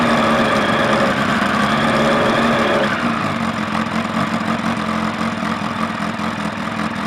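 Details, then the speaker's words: Suzuki Bandit 1200 inline four, first start after fitting a manual cam chain tensioner, new clutch and a Max Torque exhaust can with baffle in: brief blip then steady, throaty idle, even firing, no ticking or rattle; normal running. "so the max talk can still got the baffle in and uh still sounds pretty fruity to me"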